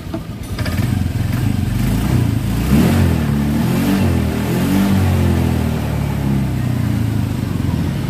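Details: Single-cylinder motorcycle that owner had trouble electric-starting (brake switch jumpered) idles with steady, even putter, clean unbroken rhythm and no misses while running without its battery connected; normal idle.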